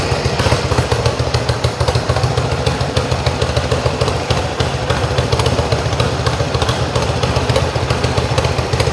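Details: Yamaha XS1B twin after carbs rebuilt three times, airbox refitted, dead cylinder tune and throttle screws wound evenly for about 1000 rpm idle: low, fairly steady idle with slight background clatter, no dead cylinder; normal healthy idle.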